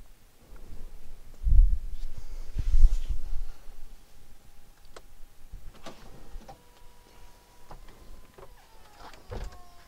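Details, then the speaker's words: Mercedes A209 CLK convertible top: low motor whir and thumps, then a faint whine with sharp clicks as the rear glass roller triggers the rear bow lock limit switch in the storage cover, working normally. "here is the bow lock limit switch which is again the switch that gets triggered when the rear glass has entered the tunnel or storage cover and the roller from the rear glass in here will be triggering the switch assembly you can clearly hear it clicking when it works"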